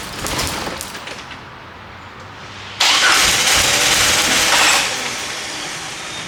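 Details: 1998 Jeep Wrangler 4.0L inline-six that sputtered and died at a stoplight; catches with a rough roar for two seconds, then sags and fades toward stalling; spark and injector signal present, failing fuel pump won't keep it running.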